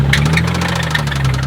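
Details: Infiniti G35 VQ V6 drift car, started knocking after about 20 minutes of driving: deep, rapid, steady knocking at idle, heavy bottom-end rap of rod knock; engine to be pulled and replaced.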